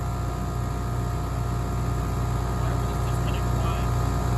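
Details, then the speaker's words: Newly installed ACiQ 5-ton commercial gas/electric rooftop unit on first start, blowing ambient air; loud steady drone with a harsh buzzy rattle underneath. The compressor is suspected to be running in reverse. "Think it's running in reverse. It doesn't sound right. Doesn't sound normal. Right. The compressor."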